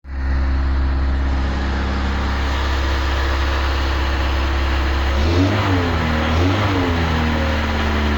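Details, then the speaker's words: Engine at steady idle: light rapid tapping under the valve cover riding over the engine note; a valvetrain part worn because lost oil pressure starved the top of the engine of oil. "что-то стучит стучит у нас в ад клапанной крышки"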